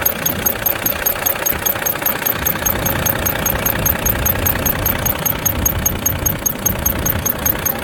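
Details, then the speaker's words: Squeak from under the valve cover on a Volvo FH13 diesel two days after rocker arm replacement: sharp high chirp repeating about 2.5 times a second over steady idle, heard near the front of the engine; first thought to be belts, but not; rocker arm squeak. "так горло флажка два дня назад была у нас на замене рокеров приехала со скрипом из под клапанной крышки как скрипит сейчас я это все вам покажу вставлю будем разбираться смотреть"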